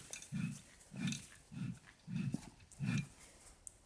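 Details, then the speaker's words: BMW E90 rear differential removed for rebuild, pinion turned by hand on the bench: five low growling rumbles about every 0.6 seconds, echoing off the cover only when the pinion turns; noisy pinion bearing suspected. Driving gave a constant rushing, hissing sound. "Anyway, this noise sounds like it reflects off the back of the cover, but only when the pinion's turning."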